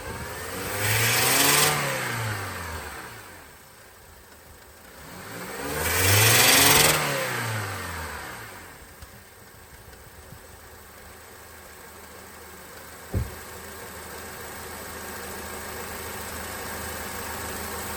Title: Weird noise around 3000 rpm